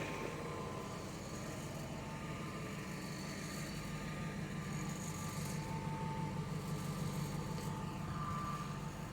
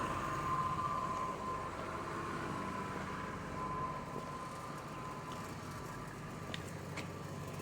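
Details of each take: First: 25-year-old truck with 250,000 miles and its original engine, which sat outside for 10 years, idling: a loose, uneven rattle of about three taps a second over the rumble; source unknown. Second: 25-year-old truck on its original engine, 250,000 miles, sat outside ten years, A/C oddly running: low, even rumble with no knocks, ticks or rattles, smooth throughout; healthy running.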